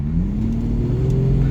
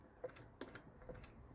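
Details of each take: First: Jaguar XJS 5.3 V12, 3-speed TH400 automatic, full throttle from about 30 mph in D with the kickdown switch disconnected: deep drone climbing slowly with no kickdown jump, holding the higher gear until it changes down to second near 60 mph. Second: Jaguar XJS 5.3 litre V12 with 3-speed GM TH400 automatic: pressing the pedal past full throttle moves the throttle cable within its sleeve, and the kickdown micro switch on top of the engine gives crisp separate clicks, switching normally.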